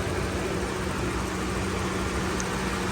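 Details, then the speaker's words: Toyota Revo at idle with AC on, after recharging and adding oil to the AC compressor: a steady, even hum with no rattle or scraping. Gauges read about 43, then 175 up to 225, and the compressor is now quiet. "O tingnan niyo po ngayon kinargahan natin nilagyan ng langis. Ah yung compressor wala ng ingay."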